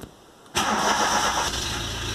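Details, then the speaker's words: VW Golf MK3 single-point injection, after idle actuator work and reconnecting the throttle position sensor: half a second of quiet, then the engine catches at once and settles into a steady, even idle without touching the throttle; normal start. "nem precisa acelerar agora você ler aqui pra ver se ele vai engasgar ou alguma coisa do tipo nada"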